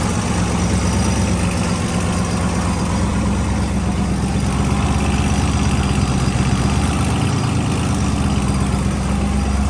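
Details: Freshly built engine on first runs, open tacked-together exhaust at idle: faint quick metallic tick over the rumble; owner unsure if header flange leak, hydraulic lifter preload, or rocker arm out of adjustment.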